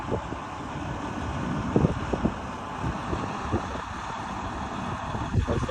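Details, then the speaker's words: Freightliner truck test drive after new clutch and actuator and trans and clutch calibration (transmission failed at 700,000 mi): steady low drone under power with wind buffeting, no clunks or slipping; driving normally. "There it is. Driving on power. Good."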